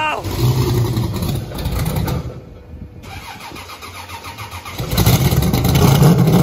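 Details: Chevrolet Blazer, not run in a while on a possibly weak battery: short crank, brief pause, then it catches and settles into a steady even run with light revving; runs fine.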